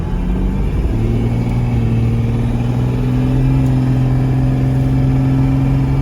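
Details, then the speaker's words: 1996 Chevrolet Suburban with swapped Cummins diesel, not fully warmed, 0-60 from a stop at part throttle: deep drone climbing smoothly, about 25 psi boost, 60 mph in about 14 seconds; healthy under boost. "It's building about 25 pounds of boost, and there's 60. About 14 seconds, and that wasn't full throttle."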